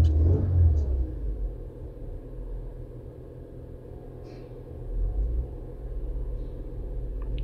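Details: 2022 Toyota Avalon with rough idle and random misfire traced to injectors: low rumble rises and settles smoothly through a brief rev, no stumble, firing even.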